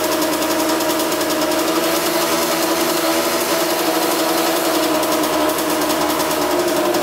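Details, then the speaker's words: 1982 Kawasaki KX125 two-stroke after coolant leak repair with gasket maker: crisp buzzy idle holding steady even rhythm, no misses or rattles; sounds pretty good, repair holding, no leaks. "sounds pretty good"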